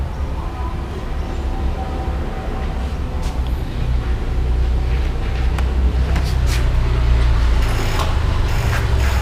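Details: Yamaha R15 that would not start on the starter, tested after connecting leads plus to plus and minus to minus: steady low engine drone that builds slightly and holds even with no misses; bike starts and runs normally.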